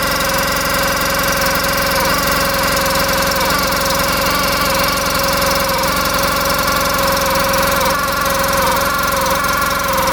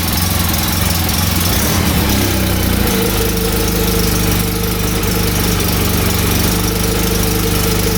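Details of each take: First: 2014 Polaris RZR 800 UTV with milky oil from coolant mixing and coolant squirting by the water pump, brand new clutch and belt: a raspy, wavering rub over the fast idle sounds bad; sellers suspected the tight new belt squealing. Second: 2014 Polaris RZR 800 UTV after the noise was fixed, drive belt reinstalled; steady idling and revving, smooth even note with no rubbing or scraping; noise gone, normal running.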